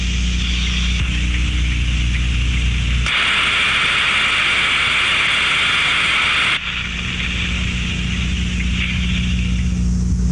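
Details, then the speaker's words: Disc-type thermodynamic steam trap heard with ultrasonic detector: steady low hum, then sharp hiss about three seconds cutting off cleanly, clear open-close cycle; normal steam trap cycling. "i będziemy musieli bardzo wyraźne cyklu pracy tak to będzie pracowała góra dół"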